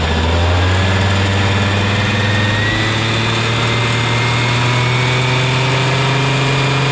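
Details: Honda Lead 90 (HF05-1025) vintage scooter engine idling: smooth, even idle with a steady low hum, no knocks, ticks or rattles; normal, quiet, healthy engine.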